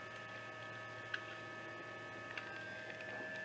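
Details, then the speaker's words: 2007 BMW 335i cooling system bleed, engine off, heat at max and lowest blower, accelerator floored about 12 seconds; electric water pump runs with a quiet steady whine and faint ticks for about 10 minutes; running normally. "st floor the accelerator pedal with the engine off and count about 12 seconds and then you can let go of the accelerator pedal and you should hear the electric water pump outside running and doing its thing"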